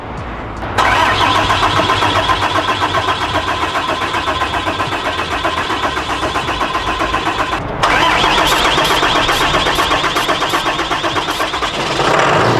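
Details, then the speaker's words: 2018 Dodge Ram diesel with contaminated fuel, whole fuel system needing overhaul: long steady cranking at about four beats a second, no catch, stopping and resuming; no odd engine noises; hard start from contaminated fuel. "I don't have any weird engine noises or things like that. I'm gonna try it one more time. I wanna see if I get any blow by."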